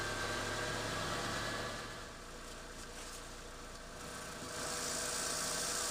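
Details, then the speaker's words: 1991–1995 Honda Civic DX idling with a hand over the muffler, giving a steady hiss and faint puffing with moisture spitting from a poorly sealed exhaust flange, possibly out of spec; exhaust leak at the flange joint. "I'll come back out put my hand over the muffler and you should be able to hear the hiss coming from this bad seal"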